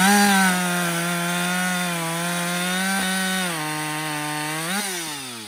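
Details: Husqvarna 562XP 60cc chainsaw, after a dealer reflash of its software for dying when hot and stumbling, bucking windfall about two-thirds of a tank in: steady high scream sags only slightly in the cut, picks back up smoothly; normal under load.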